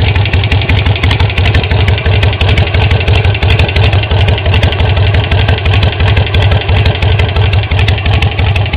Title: Sportster 883 XL low (ticking sound)